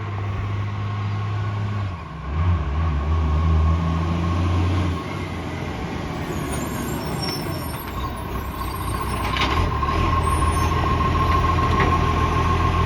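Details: Heavy diesel rumble with a raspy puffing tick riding on it, typical of an exhaust leak; cause suspected, not confirmed.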